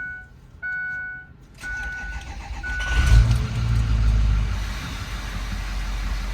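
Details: 2006 Ford F-350 6.0 diesel, start after replacing clogged black fuel filters and priming to purge air: dash chimes, brief crank, engine catches quickly and settles into a steady, even diesel idle; normal start, then checked filter cap for leaks.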